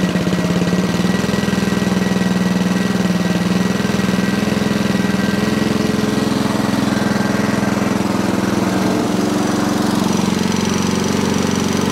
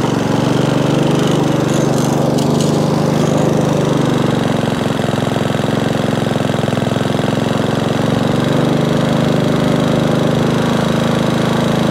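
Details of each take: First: Sovereign lawnmower: the engine runs with a steady low drone and never climbs to full speed; underspeeding. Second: Sovereign lawnmower after spark plug cleaning, heat shield replacement and drive repair: the single-cylinder engine runs steady and even at working speed with no misses or surging, only wind interference from an approaching storm; normal running.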